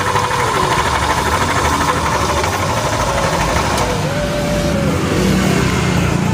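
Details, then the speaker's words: Honda Beat automatic scooter engine at idle with belt and fan side removed, noise persists: rough rattly idle, dull knock deep in engine; damaged crankshaft bearing from earlier oil starvation, to be replaced; crankshaft bearing knock. "ternyata walaupun Udah dibongkar ya teman-teman suara ini masih tetap ada Ayah teman-teman betis sekarang kita simpulkan kita pastikan yafix ini suara di bagian tengah bearing kruk-as ataukah er beken ya teman-teman"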